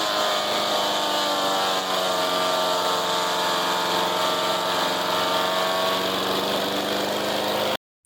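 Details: Resurrected direct-drive wood chipper, 90s engine with adapted 50s carburetor, warmed up: loud, steady high-pitched roar at constant speed, no surging or misfiring; runs properly but owner couldn't make it quieter.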